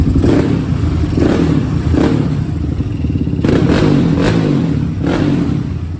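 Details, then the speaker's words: Yamaha Raptor 660 that bogged badly from second gear up, after carb clean, valve clearance check and carb slide needle clamp tune-up: single-cylinder blips up cleanly several times and drops back without stumbling; no longer bogging. Still needs a new battery, starter and solenoid. "But other than that, the bike is not bogging no more."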